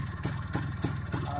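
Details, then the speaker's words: IZh Planeta 5 two-stroke motorcycle after warming up: lumpy idle with a sharp click about three times a second from the hot cylinder, suspected detonation knock; changing the spark plug did not help. "1 грелся начал потрескивать цилиндр"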